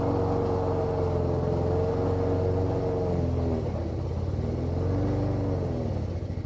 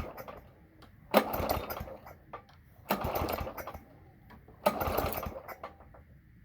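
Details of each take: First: Toro lawn mower small single-cylinder engine, cold start after priming trouble and a backfire; finally caught and holds a steady, slightly uneven putter with low hum; running normally. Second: Toro lawn mower cold start attempt after priming; three pull-cord cranks about two seconds apart, each spinning without catching; engine turns over but won't fire, owner unsure whether flooding or spark; fails to start.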